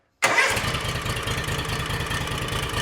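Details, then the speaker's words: John Deere X300 twin-cylinder lawn tractor, previously crank-no-start, cranked after flooding with gasoline and no choke: a brief crank, then it catches and settles into a smooth, regular low chug. Normal start and idle; spark present on both cylinders. "It's most likely going to start up and run because we did flood this thing with a whole bunch of gasoline. I'm going to go ahead and I'm just going to let it idle."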